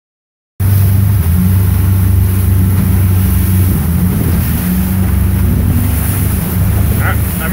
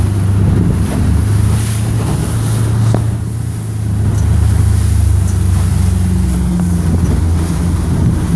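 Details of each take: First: 2016 Mercury 115 four-stroke outboard under load: low uneven throb with irregular stumbles, three or four a second, a misfire; ran fine after shutting off in neutral and resetting. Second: 2016 Mercury 115 four-stroke outboard running a smooth, even drone at steady 3,000 rpm in wind, with no stumble; normal after a misfire cleared by resetting.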